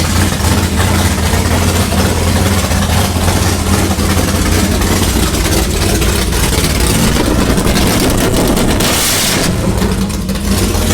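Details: 6th-gen Camaro V8 with new cam, heads and intake, dyno-tuned with valve lash set, fire-up: deep, choppy, lumpy idle and quick clean revs, louder than the previous engine; healthy.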